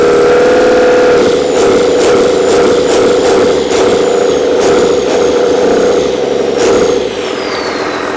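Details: Old 12-valve Cummins diesel, stored almost a decade, first start after freeing a seized fuel solenoid: steady idle, even mid-pitched drone and light regular clatter, no misses or knocks; not much blow-by. Normal idle.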